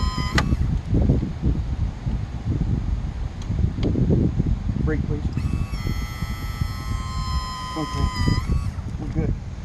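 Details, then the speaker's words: BMW K1200R/K1200S motorcycle, engine off, ignition on after final drive replacement and brake caliper refit: steady high electric buzz about three seconds, then stops cleanly; normal ABS solenoid cycling. "so i wanted you to hear the solenoids on the bike while the bike's off sounds kind of cool"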